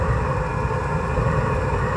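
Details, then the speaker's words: Eberspacher Hydronic 10 kW heater on high, flame detected: steady, deep, uneven roar, not burning correctly, throwing black debris and smoke; burner suspected as failing, before burner replacement. "okay you hear this it's clearly that it's not burning correctly so something is up like I said I suspect the burner"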